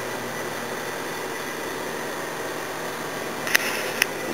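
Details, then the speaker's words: Air compressor with newly installed air dryer charging with even steady motor-and-pump run, then two sharp clicks at shut-off point; normal, aside from a tiny fitting leak to replace. "should be getting close to its shut off point you should hear it there it goes cool"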